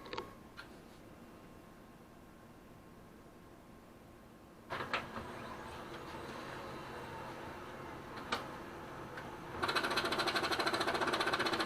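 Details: Brother DCP-L2500D scanner not working: the scan bar carriage clatters rapidly against its left-side end stop and cannot focus or calibrate; faulty scanning bar, replacement part LT2668001.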